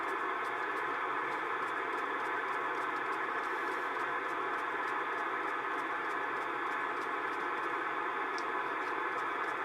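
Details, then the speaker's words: Estate-sale Icom IC-720A HF transceiver on 40 meters: only flat, even receiver hiss with faint occasional ticks, no signals; could be the band dead on an aurora day rather than the radio, later receiving on 17 meters. "so it may be a bad well nothing on 40 which could mean I had the 40 dead it what could be in this not receiving on 40 m"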